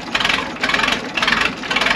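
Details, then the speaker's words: 82-year-old AEC Matador truck diesel, cold start at minus four with snow, unrun since October, electric fuel pump primed: ticks over in steady, even pulses with bright clatter, no misses or knocks; healthy cold idle. "just hear how sweet these things are Tre so as I said it's minus four today snow this hasn't ran since October"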